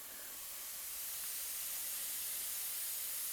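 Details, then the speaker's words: Shop compressed-air system of 1/2-inch PEX with a ceiling hose reel, line pressurizing: steady high-pitched hiss, nothing underneath; small air leak at one of the reel's seals, top or bottom unknown. "still got a little leak in one of these seals top or bottom i'm not sure which just barely hear it"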